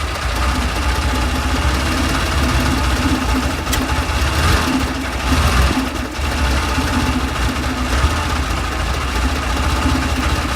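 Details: Carbureted 1970 Porsche 911 T at a pre-purchase inspection, engine idling: steady low idle with a slightly uneven, lumpy beat, running rough. Motor mounts look replaced but vibration is still felt; cause unclear.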